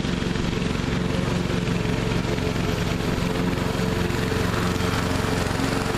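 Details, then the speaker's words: Neglected riding mower revived, spindles refitted with grade-eight hardware and blades reinstalled: steady, even engine drone with smooth unbroken beat, no knocks or surging under cutting load; normal running while mowing, cutting evenly. "so anyway I reckon if I get a year out of this thing then that'll be worth it but it seems to be running good and mowing good it mows evenly"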